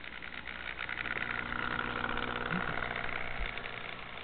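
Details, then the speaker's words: Jouef Amtrak RTG Turboliner model train on its first test run after a rebuild with a new motor and a Kato F-3 drive, replacing a worm gear worn smooth: smooth, steady motor hum with faint gear whir at about 50–60 scale mph; normal running. "So far, so good. And we'll go to a different view right here. I estimate she's running at a scale speed of approximately 50 to 60 miles an hour."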